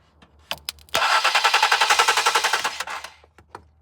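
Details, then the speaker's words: 2014 Ford Explorer Police Interceptor AWD: fast even whirring, about four pulses a second, continues with ignition off and key out; starter stays engaged and won't stop spinning, likely bad starter. "So, it appears that the starter is stuck on on the on uh position or it's just it doesn't stop spinning. Now, the car will start up, but I can hear the starter continues to spin."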